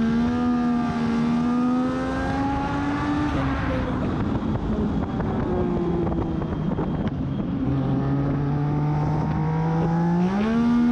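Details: Race car at Charlotte, on-track before qualifying, where the driver ended 1.6 s behind the next slowest car: revs flare sharply on throttle out of corners in the correct gear without the car pulling harder; clutch slip suspected.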